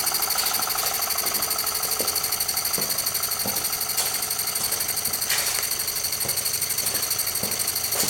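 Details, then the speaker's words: Jensen #5 steam engine running normally at adjustable speed: light quick chuff-and-tick about two beats a second over steady hiss, running smoothly. "there you see it very slowly it's running right now we can easily adjust the speed by adjusting the"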